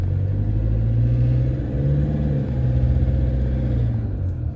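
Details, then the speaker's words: 2014 Toyota Hilux diesel, 47,000 km, warming up from cold (61 degrees): deep steady rumble with light clattery rattle on top; mild rattle, not a bad knock; injector wear questioned. "it's got a bit of a rattle it's not too bad though it's not it's not a real bad rattle knock"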